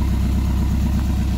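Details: Mercruiser 170 3.7 L marine engine after rebuild and break-in, about 1.5 hours on it, makeshift wooden muffler: loud, deep, even idle rumble, steady beat, no misses, knocks or rattles; normal idle.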